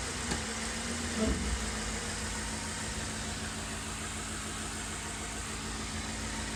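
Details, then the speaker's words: 2007 Ford E250 work van, 4.6L V8, automatic, idling in gear after a brief clunk into gear: low, steady, even hum with no knocks or ticks. Earlier roughness from sitting about a year has cleared. Normal idle in gear. "Nice and smooth, guys. You know, I'll just put it in gear for you. You can hear it in gear."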